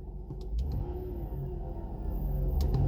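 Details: 2006 vehicle with rough idle and repeat EGR valve code P0404 despite new EGR valve: low rumbling run with faint wavering hum; odd engine noise, cause not yet clear.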